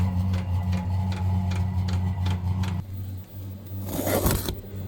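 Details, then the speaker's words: VEVOR 8 kW diesel heater installed in a Freightliner Cascadia: steady light fuel-pump ticking about twice a second over a low exhaust hum; heater running normally while warming up. "So as you can hear it clicking, that's the fuel pump. You can hear the exhaust."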